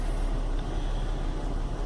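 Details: Chevy Venture warmed up about four to five minutes, cool day, no check engine light, low uneven rumbling rough idle with no clunk into gear; cause was a failed hydraulic engine mount.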